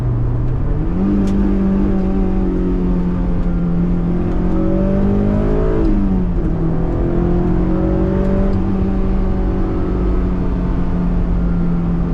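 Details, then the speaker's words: Honda S2000 parked six years, just started: clean, even running with two crisp rev blips that climb and fall back smoothly. No knocks or chain rattle, which the owner notes they can suffer; the engine sounds healthy. "It sounds so good as well. I know they suffer from chains and stuff, but that sounds so so sweet."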